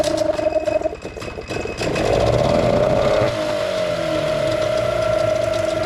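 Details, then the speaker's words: Old two-stroke outboard's first start in a very long time, after priming the fuel line (primer bulb firm, no leaks): a few pull-cord rattles, it catches on the first pull, and it settles into an even, sewing-machine-smooth buzzing idle. Normal. "That is absolutely ridiculous. First pull. Oh my God. And listen to it, it's idling like a sewing machine."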